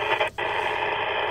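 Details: Rexing dashcam beside a ham radio on the 146–147 MHz range; steady hissing buzz in the radio speaker, cuts out briefly when camera is switched off, then returns; RF interference from the dashcam, not power-related, across several radios.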